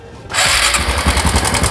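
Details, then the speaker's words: Older carbureted Honda Supra X125, cover refitted after cam chain tensioner adjustment: engine catches and idles with fast tinny top-end clatter, still noisy with the adjuster at its limit, cam chain rattle. "Ternyata suaranya masih berisik ya. Padahal ini sudah saya setel ya."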